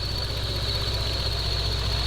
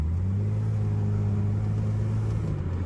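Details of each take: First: 2011 Lexus IS 350 F Sport, first start after RR Racing Stage II supercharger install: low, lumpy, shaky idle with uneven pulse under a steady high supercharger whine; rough running, cause not yet found. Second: 2011 Lexus IS 350 F Sport just fitted with an RR Racing Stage II supercharger kit, first start after install with lots of dash lights on: smooth, steady idle with a deep even hum, no stumble or miss; normal idle, not yet tested under boost.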